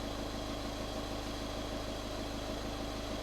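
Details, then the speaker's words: 2013 VW Caddy 1.6 diesel after a fuel filter change and refilling the housing with diesel: steady, even idle with a light regular clatter and no hunting or misfire; running well, checking the seal for leaks. "But that sounds pretty good. Just make sure there's no leaks around the seal."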